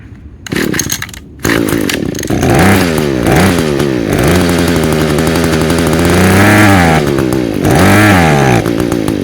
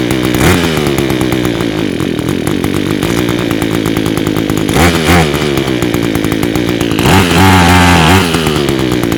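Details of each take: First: Echo two-stroke with Zama carburetor, already rebuilt with new diaphragms and intake gasket, main jet screwed fully out: revs surge and sag, runs only on near-full choke and dies without it. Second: Echo two-stroke with Zama carburetor, first start after repair, on choke: a high buzz runs steadily, pitch rising and falling briefly as idle and jet are adjusted, holding speed without dying.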